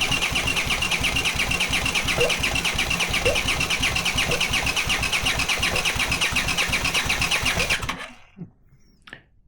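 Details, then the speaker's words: Honda CX500 engine on a bench test with no exhaust and no cooling: even starter cranking near three compressions a second for eight seconds, fuel coming out of the cylinders, no firing; spark present but no ignition. "So, for some reason, there's no ignition. And again, you can clearly see the fuel coming out of the cylinders."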